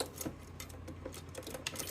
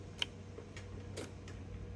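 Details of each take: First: Well-used Everride mower with a Kohler 23 hp engine, 843 hours, all safeties good: light irregular clicks over a low hum while checking the starter solenoid. It clicks but never cranks; the carburetor solenoid clicking is said to be normal. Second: Everride Yellow Jacket mower, Kohler 23 hp, 843 hours, clicks but won't start: sharp isolated clicks over low hum, carburetor fuel shutoff solenoid pulling in normally, releasing the backfire plug in the bowl bottom; heard at carburetor.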